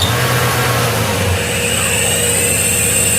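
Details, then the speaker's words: Iveco alternator with overrunning freewheel pulley on bench with battery and lamp load: steady hum with faint uneven chatter about three per second as charging starts; pulley slipping, rotor likely stopped, lamp stays lit. "Ele ameaçou carregar, né? Mas como a polia tá patinando, provavelmente o rotor ficou parado."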